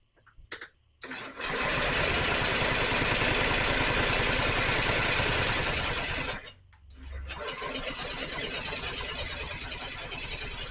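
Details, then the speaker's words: Honda Metropolitan scooter, 3,755 miles on odometer, after fuel system cleaning, brake held for safety switch, throttle open: fast even cranking, nearly catches twice but never runs, fuel puddle underneath; owner wonders if worn out. Cranks but will not start. "right there oh so close it's not it's not alive I failed there's a puddle of fuel under it but it kind of sort of wanted to a couple times"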